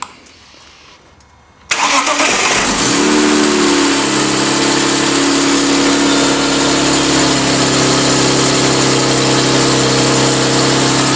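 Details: BMW E36 M3 Evo S50B32 engine on a test stand, factory ECU, after windage tray tweaked to cure a light bottom-end knock; at operating temperature, thermostat open, 40 psi oil pressure, much quieter, smooth even idle, slight valve clearance rattle and noisy VANOS remain.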